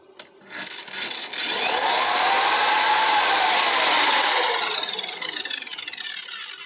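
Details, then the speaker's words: Mastercraft small compound mitre saw on a small inverter: motor hesitates, then whines up to full speed and coasts down, starting only on the third try; inverter struggles with the starting surge, before using a resistive soft-start load. "it does start it but it takes a few tries third time it starts"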